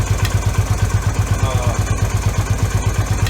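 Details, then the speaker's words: Yamaha V Star 250 after fitting an electric fuel pump and a manual petcock in place of the vacuum pump and original petcock: an even, regular low thumping idle with no stumbling or surging. It runs good, and the carburetor no longer runs out of fuel. "helps you out. I mean, you can see for yourself. It runs good."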